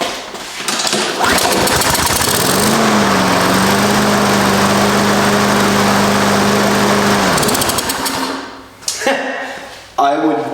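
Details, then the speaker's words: Husqvarna push mower unused over 4 years, after carburetor cleaning and intake bolts tightened: one pull, catches immediately and runs steady and even before shutdown; dirty carburetor was the cause. "would definitely say the carburetor was dirty that needed to be cleaned just because how easy that started"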